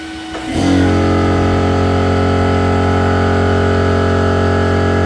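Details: Cheap blaster cabinet, vacuum extractor switched on for first test blast: motor spins up within a second to a steady even hum with constant whine, running smoothly; extractor working normally.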